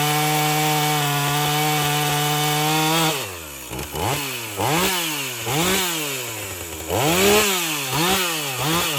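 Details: Husqvarna 450 chainsaw after rebuild and Hipa plug, cutting wood: steady high buzz dipping and recovering in repeated swoops; clean, strong cutting.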